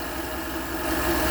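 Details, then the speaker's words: 2011 Chevy Avalanche after tensioner and belt replacement to cure a belt noise that was worse when cold: steady, even idle with no squeak or chirp; normal idle. "no more squeaking or nothing chirping whatever it was doing it's quiet now"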